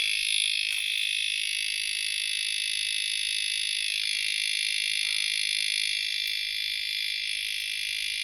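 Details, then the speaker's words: Disc lock alarm on a van's seat-mounted disc lock, locked in without the alarm meant to be set, sounds continuously as a shrill, high-pitched electronic warble pulsing about four times a second and can't be switched off; this was the weird noise heard while driving. "no it's not going to have it i can't i can't turn it off so that's what it was"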